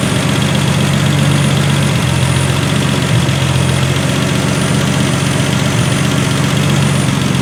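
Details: 1976 Triumph TR6 six-cylinder idling smoothly with a steady low note, no misses or knocks; engine runs really well, normal idle.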